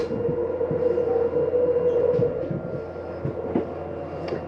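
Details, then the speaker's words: 2022 Bighorn 37DB fifth wheel, hydraulic slides run out with one button on the control panel: steady mid-pitched pump drone holding even under load, occasional soft clunks as slides travel; healthy pump. "now I'm gonna come right down here to hydraulic slides and I'm simply going to hit out all of your unit is on hydraulic slides which means one button is going to run them all out through a hydraulic system"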